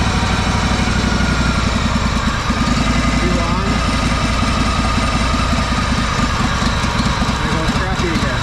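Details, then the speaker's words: Honda 4118 riding mower, Honda GXV610 engine, on a little choke: loud single-pitch drone with an uneven stumbling beat that never clears up; rough running and sputtering, owner plans to check valve adjustment. "See how crappy it sounds? [Music] It'll do that. It won't It'll never clear up."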